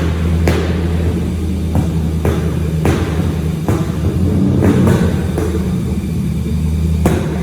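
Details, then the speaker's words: Mazda RX8 rotary drift car with 180-degree headers, not yet tuned, short rev before the dyno: deep lumpy rumble with sharp, irregular backfiring and exhaust pops, a tuning issue. "you can hear it backfiring and popping away and carrying on but yeah it's just a tuning issue"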